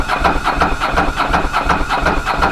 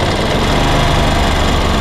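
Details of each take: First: Ducati Monster 900 twin, first start after a carburetor rebuild by Doc Carbu: runs smoothly and evenly but at a fast idle set far too high, needing adjustment. A small fuel leak was also found at the fuel tap. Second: Ducati Monster 900 twin at idle after a carburetor rebuild by Doc Carbu, during a carb synchronization check: only a very small offset, almost perfect. Even, steady low thumping with no hunting or misses.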